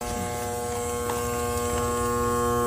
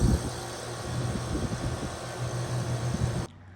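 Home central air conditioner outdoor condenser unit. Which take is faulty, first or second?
first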